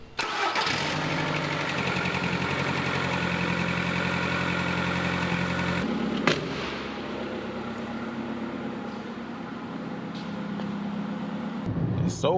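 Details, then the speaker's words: Skoda Fabia start after a previous starter noise problem: short clean crank, catches at once and settles to an even idle with no starter quacking; normal start, starter noise gone. "as we're gonna hear that starter noise is gone which is really nice"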